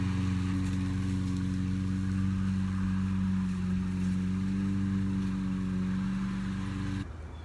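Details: Discarded curbside push mower, single-cylinder engine, after carburetor cleaning and air cleaner refitted, mowing the yard: steady, even drone under cutting load with no misses or surging. Normal running under load.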